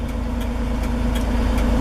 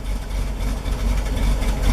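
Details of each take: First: 1973 Toyota Land Cruiser FJ40: even, steady low idle with no misses or knocks, set just where the revs begin to dip, which is a healthy, correct idle setting. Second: 1973 Toyota Land Cruiser FJ40, cold start with the choke fully out: low, uneven idle that sputters, stumbles and hunts, slowly smoothing as the choke is pushed in; normal rough cold idle before warming.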